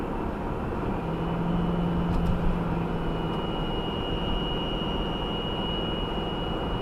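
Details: 2018 Subaru Outback 2.5i Premium, 28K miles, cold first drive at about 10°F; thin high steady whine over engine hum at light throttle, RPM-dependent, stops when lifting off gas, absent under hard acceleration; source unknown.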